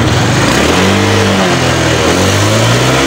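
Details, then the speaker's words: Engine after work on the clogged catalytic converter, throttle body, timing and spark plugs, exhaust refitted: revs climb cleanly off the bottom and drop back smoothly with no bog, where it previously choked low down; normal rev response. "Mari kita bunyi ini ya responnya gini mulai bawah ya biasanya tadi e biasanya Sebelumnya kan bawahnya ngempot"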